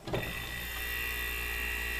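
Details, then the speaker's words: Refrigerator compressor whose pins tested fine with a multimeter, wired directly to a cord plug and plugged into the receptacle, bypassing the start relays. A thump as it kicks on, then a steady, even hum with a faint whine and no rattle: it starts and runs normally. "and these two compressors are perfectly fine if I were to take a relay wire to a cord plug this in and plug it into my receptacle"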